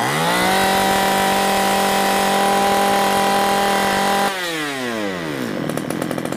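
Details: 345/346 chainsaw with earlier unstable running and hard starting, after carburetor cleaning: holds a clean, steady high rev for four seconds, then drops smoothly to a low idle; sounds healthy.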